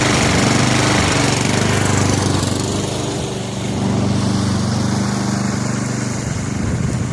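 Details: Free Honda push mower mowing grass after its deck height was corrected: single-cylinder engine chugging under cutting load with a slight speed swell and dip. Mild surge that the owner plans to treat with Seafoam.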